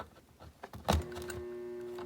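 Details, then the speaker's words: Sony TC-8 vintage 8-track tape player/recorder, missing a panel, just switched on: handling thump then a steady low audible hum holding even; electrical power-on hum, source not pinned down. "not sure if you can hear that but that is making an audible humming"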